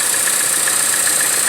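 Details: 2014 Chevrolet Cruze LTZ at idle: constant high hissing whistle from the top of the engine that never changes over a quiet idle; air sucked past the PCV valve in a damaged valve cover, fixed by replacing the cover.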